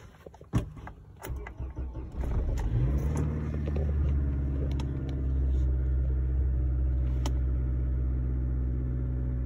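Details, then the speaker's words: 2006 Toyota Corolla 1.8, over 200,000 miles, cold start: engine catches into a slightly uneven idle with live misfires on all cylinders (P0301-P0304). Coils are new, so plugs and coils are not the suspected cause. "up looks like one's misfiring a little bit my goodness we got misfires across the board"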